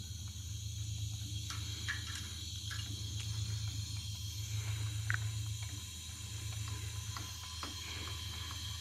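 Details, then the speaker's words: Kawasaki FH721V engine on a John Deere X500 mower during a general service: low steady hum with a constant airy hiss, gurgling and light ticking, heavier on one side; a head gasket leak is suspected. "it sounds like sounds like head gasket so"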